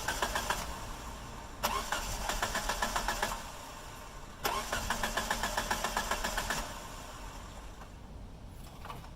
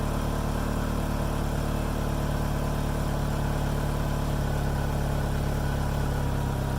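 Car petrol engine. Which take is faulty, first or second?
first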